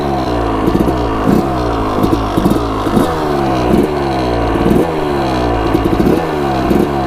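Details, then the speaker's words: Newly bought Suzuki RM250 two-stroke dirt bike, started on the first kick: crisp ring-ding with repeated throttle blips, revs rising and falling cleanly without bogging or misfire; normal running. "here we go let's see if it starts first kick here oh yeah"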